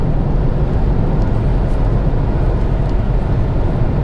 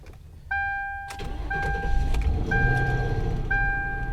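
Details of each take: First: Malibu at highway speed, steady 65 mph with cruise control set: steady low road and engine rumble, no surges, knocks or shudder; smooth normal highway cruise. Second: Cold start after fresh fluids: engine cranks and catches with a brief metallic rattle riding the start-up roar under a warning chime, gone almost immediately; some suggest timing chain, owner doubts it, cause unknown.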